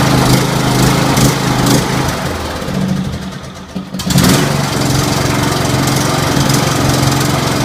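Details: Scotts 1742 lawn tractor, Briggs & Stratton Intek 17 hp OHV, first outing after head gasket replacement, valve lash adjustment and full service: even single-cylinder thump that dips briefly under load, then picks straight back up. Normal running.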